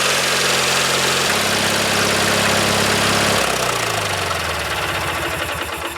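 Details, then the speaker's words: Early-1990s Craftsman GT6000 tractor with a Kohler Magnum 18HP, just after a complete carburetor cleaning and rebuild, with a steady, even idle and a clean firing beat, then winding down smoothly; it runs healthy. "my goodness that sounds so nice this is one of those engines that I think if you take care of it just going to run forever"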